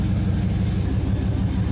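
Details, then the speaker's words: 1959 Chevrolet Apache, first start attempt in years, spark confirmed at the coil and gas poured down the carburetor: even chugging crank with weak, uneven catches that never fire; it turns over on low compression. "Okay, I think we're going to be able to get this thing to start. It's hitting like it wants to start."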